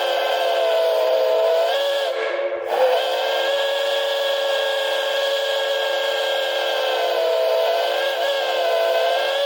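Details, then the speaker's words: Wet, airy steam whistle blown for the first time on a 100 PSI boiler after the safety valve lifted; steady multi-toned whistle with breathy hiss and a brief dip midway, likely wet steam from priming; airy but not bad. "kind of Airy but not bad that's s pretty good not bad it's just a 100 PB boiler anyway"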